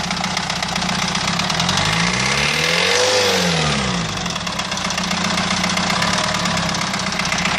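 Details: Renault 2.2 dCi diesel idling with a rough, fairly regular knock about four a second over the engine note; source not pinned down, cause not confirmed.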